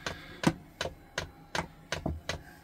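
Crisp, evenly spaced ticks about every third of a second over a quiet background; that's the heater's fuel pump priming normally.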